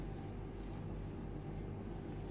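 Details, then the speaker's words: Baymak Wolf combi boiler running after its dirty, vibrating, noisy fan motor was removed, washed and refitted, cover closed: only a low, soft, even fan hum with no rattle or vibration, burner lit. "Tamam şu an kombimiz çalışıyor amca farkında mısınız bakın ses yok"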